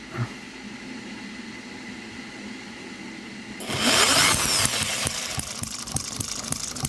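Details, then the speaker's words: New Microcosm M96 "Oddball" 2cc hit-and-miss model engine with electronic ignition, first setup: quiet lead-in, then sharp, irregular popping firing strokes. Ignition is set too far advanced and is about to be retarded while running. "Right, while it's running, we can actually change the ignition. Let's try doing that, see what we get. So we're going to retard it a bit."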